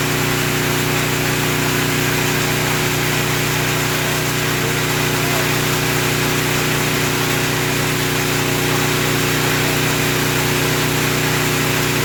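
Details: Small generator after the surging repair: constant engine drone with no rise and fall in speed; it runs steady without surging.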